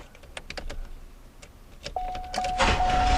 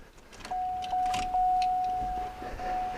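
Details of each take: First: Owner thinks it is a 1991 or 1992 Olds 98 with a cranking no-start, on a compression test with the air intake partly blocked. The starter spins at about 3.5 beats per second, soft and even; compression reads much lower when air is taken away. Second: Owner thinks it is a 1991 or 1992 Olds 98 with a no-start; key turned on to prime the fuel pump. A steady electric hum for a couple of seconds, stopping and restarting once; about 40 psi at the rail, so fuel pressure is adequate.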